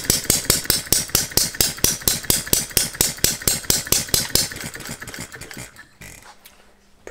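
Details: Philip Duclos Odds n Ends hit-and-miss model engine running on a Viton-ring piston after the cast iron rings failed to seal, with the governor disabled: steady, regular firing pops four or five a second, then it coasts to a stop. It runs fine, though the governor needs stronger springs.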